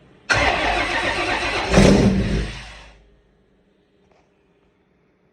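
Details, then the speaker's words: Fox body Mustang after reassembly, fuel system primed and checked for leaks; brief cranking, then catches at once and revs cleanly before shutoff with no backfire or ticks: normal start. "all right it fires right up it sounds good yeah I hear any ticks"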